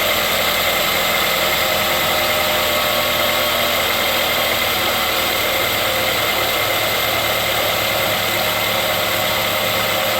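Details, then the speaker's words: 2008 Ford Escape 2.3L idling after tensioner, idler and serpentine belt replacement: smooth, even hum with no belt chirp or squeal. The earlier squeak is gone; the worn tensioner is believed to have been the cause. Normal idle. "Alright, so we got it cranked up and running here, just checking it out. And I don't hear any squeaking."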